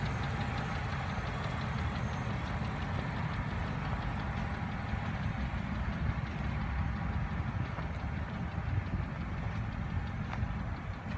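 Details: BMW N62 4.4 V8 at idle: deep, steady knocking under a rough, bass-heavy idle; engine knock, cause not identified.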